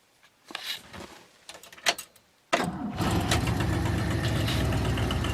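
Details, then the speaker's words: 1978 Ford LTD before starter inspection, started cold (owner says warm starts drag the starter): brief cranking, then catches straight away and settles into a steady, even idle; healthy cold start. "fire is up pretty good"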